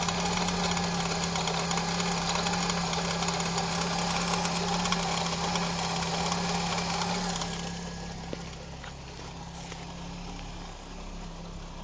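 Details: Opel Calibra engine idling with a steady, even tick about three and a half per second that settles quieter later; cause unknown.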